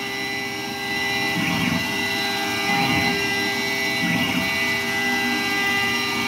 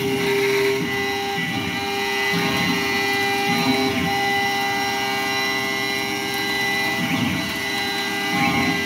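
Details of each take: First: Modified Langmuir MR-1 gantry CNC mill slotting an aluminium quench plate, 8,000 RPM spindle, 235 IPM feed, 0.040" depth, full-width slot: steady high spindle whine with even cutting hiss, no chatter or bogging; running great. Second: Langmuir MR-1 gantry mill, modified, spindle at 8,000 rpm full-width slotting aluminum at 235 IPM and 0.040" depth: a loud, steady high whine with rough chattering; owner suspects spinning spindle bearings.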